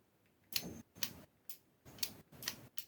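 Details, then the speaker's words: Classic Ford Escort Mk1 wiring demo: a 12 V relay fed live with earth through a switch, clicking in sharp pairs as its electromagnet pulls in and drops out, switching normally. "so usually you'd have your La go to it that's got a bit floppy let's just tighten that up a bit so you have your live go to it then Earth coming away from it through a switch and now you can hear"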